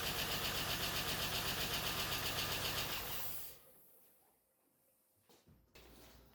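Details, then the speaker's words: 5.3L LS V8 swapped into an S10 Sonoma, first start with wiring unfinished: it catches and runs lumpy and uneven for about three seconds, then shuts off. A cylinder misfire is suspected, with coil packs to be checked. "there we go she runs something's not quite right so i'll have to check that out it sounds like it's missing on a cylinder maybe not sure i'll have to double check that"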